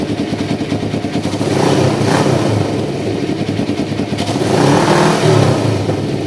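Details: 1993 Kawasaki Vulcan EN500 bobber project, started after removing the reed/air suction valve and installing and synchronizing the carburetors; mixture not yet tuned. Even twin idle pulse with crisp, clean blips, no misses or rattles; running smooth and healthy.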